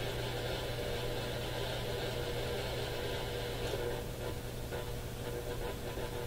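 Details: Radio scanning the top of the AM broadcast band at home: constant hiss with a steady low buzz and faint whistles, stronger than local stations. Interference source unconfirmed; owner suspects the smart power meter.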